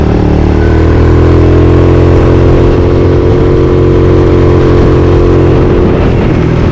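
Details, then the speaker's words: Maddog GY6 scooter (Red Dog), 120 main jet, vacuum pump replaced by electric fuel pump: strong clean engine note climbing steadily with throttle, no stumble or hesitation; normal acceleration. "And it feels great. The Red Dog, 53 miles an hour."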